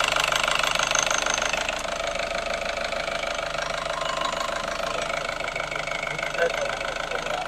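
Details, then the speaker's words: Nissan X-Trail T30 with white smoke, idling after 10 minutes warm-up: harsh, fast crackling knock about three per second, disappearing when revved; rough combustion at idle suspected, not confirmed. "Nah ini teman-teman, setelah kita tadi biarkan 10 menit, itu langsung muncul suara seperti ini, kasar."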